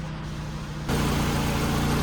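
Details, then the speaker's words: Citroën DS3 after engine swap, warm idle with temperature down: smooth, even low hum, slightly throaty, with no knocks or misses; healthy, though possibly burning a little oil off the exhaust manifold. "We might be burning off a little bit of oil on the exhaust manifold, but it all looks and seems very healthy, and she's even a little bit throaty. I'm very happy."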